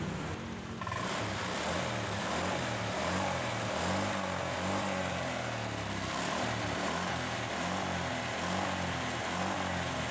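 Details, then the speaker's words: Honda Vario 125 scooter after the weak fuel pump was addressed: starts and settles into a steady, even idle with no sputter or hunting. Earlier sluggishness, sputtering and unstable idle were blamed on low fuel pump pressure. "motornya sudah menyala dan sudah terasa tidak brebet lagi suaranya sudah garang dan tarikannya pun juga spontan Begitu juga dengan idenya sudah tidak naik turun lagi"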